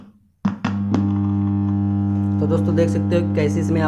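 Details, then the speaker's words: Bluetooth speaker that began distorting two or three days ago; playback muddy and buzzy with a steady low hum under strained, crackly high notes, the sound no longer clear. "और दोस्तों इसमें जो है बनाने की time में बहुत आवाज आ रही है"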